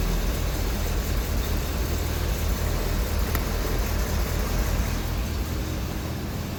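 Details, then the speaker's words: Triumph TR7 after installing an inline fuel filter: steady, even low rumble with no misses, stumbles or ticking; engine runs normally with fuel flowing through the filter. "All right, so we are up and running. Get around the other side of the car, up and running."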